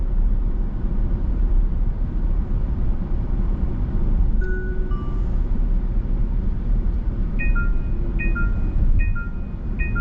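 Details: Genesis GV70 facelift 3.5 turbo Sport, highway driving assist active on expressway: over road rumble, a chime then repeating two-note hands-off steering wheel warning as driver ignores it; assist then disengages and limits speed.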